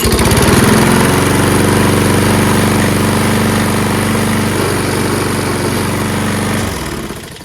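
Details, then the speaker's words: Toro Recycler self-propelled mower, Kohler XT675 6.75 engine, after cleaning rusty flywheel/magneto contacts and fouled spark plug; steady even fast single-cylinder beat, burning off oil in muffler, then clean cutoff: normal running. "Igniting, turning, letting it run a little bit, burn off excess oil that's in the muffler, and just good now."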